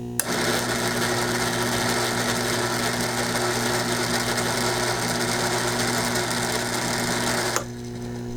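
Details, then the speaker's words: Gottlieb Rescue 911 pinball helicopter motor: click then steady high whine for about seven seconds before stopping; motor runs fine, helicopter not turning due to a failed coupling sleeve between motor and helicopter. "So we know the motor works. Okay, that's all we needed to know, I guess."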